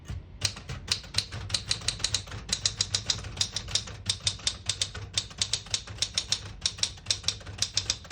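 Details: 1973 Smith-Corona Galaxie 12 portable typewriter, ribbon selector switched down to print red with a brand-new ribbon: crisp, even keystrokes about six a second, each snapping cleanly with no drag or double strikes; working properly.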